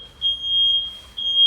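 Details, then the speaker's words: Second smoke detector in smoke test sounding, noted as lower in decibels than the other, stronger unit; loud high-pitched piercing tone in repeated bursts, cutting in sharply; alarming properly. "Bu da ötmeye devam ediyor bakın bunun ötme sesi e desibeli düşük biraz öteki fazla ya Öteki daha güçlü ötüyor"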